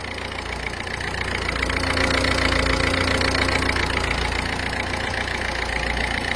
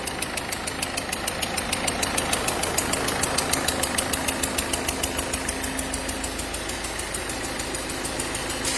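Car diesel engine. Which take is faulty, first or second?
second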